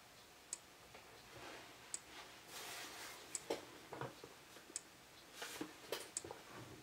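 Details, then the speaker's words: Faraday 6120 horn/strobe fire alarm (80s or 90s strobe) during test: faint sharp single clicks about every 1.4 seconds in a quiet room, no capacitor whine, slow flash rate; normal strobe flash click. "that's interesting for a uh strobe from the 80s or n 90s I don't hear any capacitor sounds like a uh later strobe like sort of like what they sound like today little no noise to them at all except that click awful slow flash rate though"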